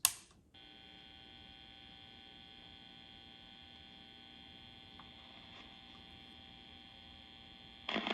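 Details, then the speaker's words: 1952 Wards Airline AM tube radio with a General Electric 12AU6 swapped in: quiet steady buzzing hum, no station received, oscillator squeals heard; unchanged, so the 12AU6 is not the problem. "exactly the same. So, the 12 AU6 is not the problem."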